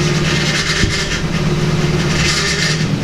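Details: Nissan 240SX S14 with welded diff, idling while the steering wheel is turned: steady droning whine and squeal from the power steering pump; fixed by flushing and refilling with ATF as Nissan recommends.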